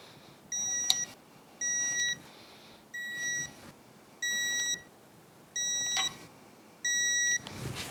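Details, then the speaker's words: 2004 Yamaha F225 outboard powerhead rebuild, digital torque wrench second pass to 20 ft-lb in sequence: six crisp high beeps a little over a second apart, quiet room, each bolt reaching setting. "We're going to follow the sequence, take it to ten foot-pounds, come back do the same sequence again at 20 foot-pounds. Alright let's take it up to 20."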